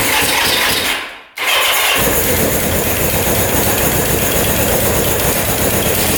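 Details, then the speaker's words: 1979 Suzuki LT500 Quadzilla with a 750cc engine swap, after a new battery and fixing a coil wire that had pulled out and was sparking: briefly dies, then runs strong and even with no misfire or popping. Exhaust gaskets are sealed. "all right that sounds a lot better check the exhaust gaskets those look pretty good all sealed up"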